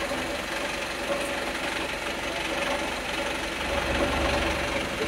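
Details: Volvo B5TL Euro 6 diesel idling with a loose, uneven knock around four times a second over the steady rumble, an abnormal knocking from the engine.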